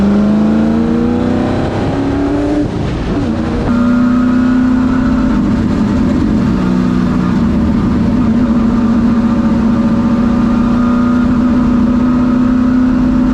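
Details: Ford Thunderbird NASCAR stock car on a road test after reinstalling the starter and tightening the headers; loud engine pulling cleanly as the revs rise and hold under load, no misses or knocks and plenty of power, normal running.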